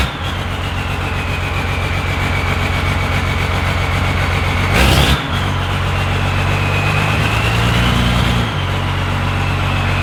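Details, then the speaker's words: 12-valve Cummins diesel truck: even diesel clatter at idle with one clean rev blip dropping back smoothly; running good. "sounds like it's running good"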